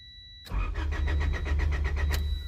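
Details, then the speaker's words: Honda Del Sol with clutch pressed: starter spins the engine evenly, about eight compression pulses a second, but it never catches; no fuel pump sound heard, owner suspects no fuel delivery. "no fuel pump the fuel pump is not on it didn't come on but the starter does spin watch all right we're gonna try again we gonna try two more times no fuel"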